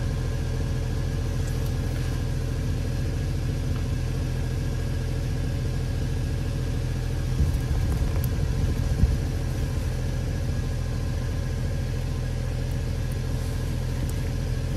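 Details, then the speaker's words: Jeep JK onboard air system using AC compressor from a 2011 Jeep Liberty, engine at about 1665 rpm, filling a completely flat tire: steady even hum with no knocks or squeal, pumping smoothly and filling quickly. "hear that compressor just humming this thing's filling up pretty quick"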